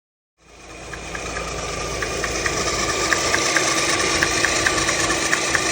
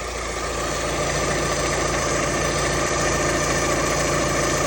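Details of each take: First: Alfa Romeo Twin Spark engine idling: a light, sharp tap about twice a second from the timing belt area, caused by the SKF-brand balance belt tensioner bouncing; the tensioner must be set in the middle. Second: Alfa Romeo Twin Spark engine after replacing the SKF balance belt tensioner, which caused knocking/tapping, with a different make: idles evenly with a steady hum, tensioner holding still, no knocking or tapping.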